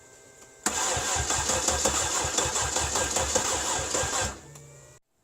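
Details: Cadillac with a 300 HP Northstar V8: the starter cranks at an even three or so beats per second for about four seconds without catching. Crank-no-start caused by a blown PCM fuse.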